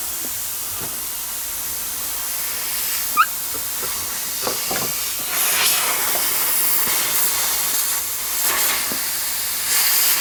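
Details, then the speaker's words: Air compressor hose being pressurized during PEX hard line install: steady high hiss with sharp pops as pressure builds; old air hose piece failed and burst, air leak. "so that piece of Hose is failed this is air hose this piece of Hose failed"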